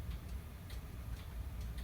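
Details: Hammond electromechanical mantel clock after servicing, unplugged with the mainsprings slightly under-wound. Crisp, even ticks come about twice a second over a low hum, so the movement runs steadily and sounds healthy.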